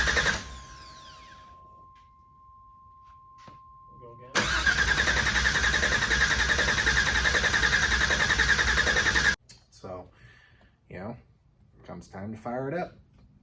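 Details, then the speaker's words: LT4 crate V8 swapped into an El Camino, primed for oil pressure with the fuel pump unplugged: brief crank, then it fires right up and settles into a steady, even run with no knocks or misses. "in the fuel pump crank it over a little bit fires right up"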